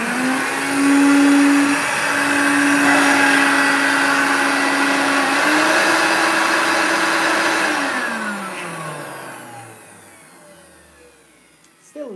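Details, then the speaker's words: Vacuum, after cleaning; owner unsure whether the belt was refitted and suspects the agitator bearings (fans and motor looked fine): loud motor roar with a wavering high whine, then spin-down. Still noisy, cause unclear. "it is still noisy but once they're I don't know did I put the belt back on"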